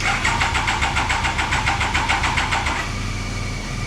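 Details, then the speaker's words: Triumph Daytona 955i motorcycle, jump-started from another bike: even starter chugging at about three and a half beats a second, never catching, then dying away; the fuel injectors were left unplugged; crank no start. ">> Forgot to connect the injectors. >> Oh, my soul. >> Never [ __ ] plugged them in. All right. So, of course, it's not going to start going in 10 minutes."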